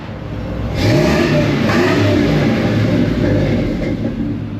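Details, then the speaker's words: 1985 Dodge Ram D150 Prospector, 318 V8, about 70,000 miles shown: deep rumble swells smoothly as revs climb, then holds, with no misses, knocks or rattles; normal, healthy revving. "That's what a good old V8 sounds like, if you're wondering."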